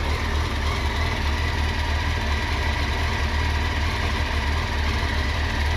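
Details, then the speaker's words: Honda CBR900RR Fireblade, about 25 years old, idling: steady, even low idle with a light constant rattle underneath from the clutch, judged normal for this bike. "Shit. Not so noisy. You That noise is your clutch."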